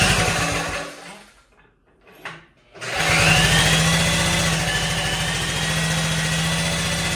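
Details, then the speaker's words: 1957 Wheel Horse RJ35 garden tractor, first start after sitting 5+ years in a barn, choked, no starting fluid: short crank, then fires and settles into an even single-cylinder putter with no misses; normal running, sounds better than the owner's 58. "that's how it's supposed to work that thing sounds very nice that sounds better than the 58"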